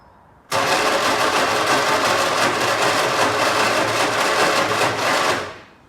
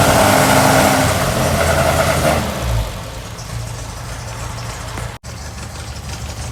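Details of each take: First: 1964 MG Midget, unrun for 29 years, after fitting a new coil, rotor arm, points, condenser and battery and fixing the fuel pump: steady starter whir with even compression pulses for about five seconds, never fires; cranks but no start, cause unconfirmed. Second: 1964 MG Midget four-cylinder first run after 29 years stored, after new coil, rotor arm, points, condenser, fixed electric fuel pump, flushed fuel system, new battery; air filters off: catches, revs strongly, settles to fairly steady, slightly lumpy idle, voices nearby; running normally.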